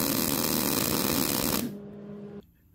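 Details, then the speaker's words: Old Millermatic 185 MIG welder with wire feed speed set around 80-82, the sweet spot after popping at 60 and 70: steady even frying crackle, no popping or sputter; normal MIG weld at correct wire feed speed. "now we're going to go up to the 80 what I consider The Sweet Spot 80 82 in there on"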